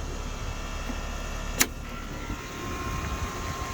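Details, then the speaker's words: Heat pump outdoor unit in cooling after fitting the reversing valve coil, gauges on: steady even hum with one sharp click, no rattle or strain; running normally, reversing valve energized in cooling. "beautiful i love it when it works so reversing valve should energize in the cooling operation"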